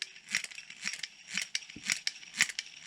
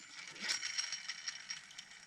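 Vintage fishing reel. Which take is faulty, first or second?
first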